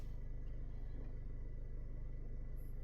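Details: 2018 Honda Accord with a lean-condition complaint, after reattaching the intercooler line: low, soft, even idle hum with no stumble or surge; fuel trims look good and stay good on a test drive.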